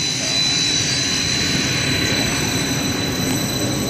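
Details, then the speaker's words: 60 HP hot closed-loop pump on a VFD via a newly installed transfer switch, first run after rewiring: loud steady rushing roar with a thin high whine, no pitch change; running backwards because the three-phase wires are wrong, fix is swapping two wires. "so yeah pump don't work too well when the poity you know three phases not right so I just got to switch a couple of the wires right there and relabel them"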